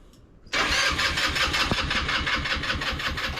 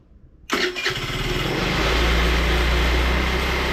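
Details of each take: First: Scooter cranked on its battery with ethanol-free fuel in the tank: steady starter spin with even chuffing pulses, about four or five a second, turning over fine but never firing; cause not confirmed. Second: Scooter after flushing the fuel tank, cleaning and priming the carburetor; it catches quickly, settles into a steady run and picks up cleanly on throttle blips. It runs normally, and the owner thinks a bad battery was the main problem.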